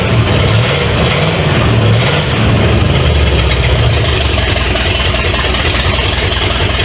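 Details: 1970 Pontiac LeMans with Pontiac 350 V8, first start after sitting decades: loud, rumbling open-header idle with an even beat and no knocks or ticks. Smoke is from oil added to cylinders to free stuck rings. Normal idle.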